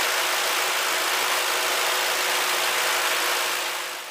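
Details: Ford Crown Victoria engine idling after belt dressing spray on a squealing serpentine belt: steady, even idle with an airy whoosh and faint hum; no belt squeal is present.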